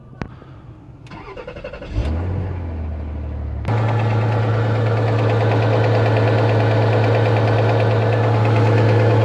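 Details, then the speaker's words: Rover 75 2.5 177 hp, cold morning start; fast cold idle with steady tapping about four a second from the timing belt side, only when cold; cause unknown, others suggest the timing belt tensioner pulley sticking. "вот это вот у нас стук идет получается и только идет на холодную"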